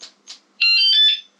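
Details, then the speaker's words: Battery-operated wireless motorcycle anti-theft alarm being tested: two short chirps then a piercing, painfully loud high warbling siren; alarm sounding as intended. "It's extremely loud. I mean, it's painful."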